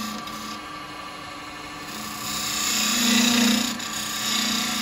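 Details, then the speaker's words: Woodturning an 8-inch sycamore vase with carbide chisels: hissy cutting with a low buzzing hum that swells now and then, tool chatter from too much tool overhang; no catching, reduced by pressing weight down on the tool. "it's just the vibration. You can hear it now and again. It's because I've got that much of the tool overhanging, so you're going to get that bit of on there."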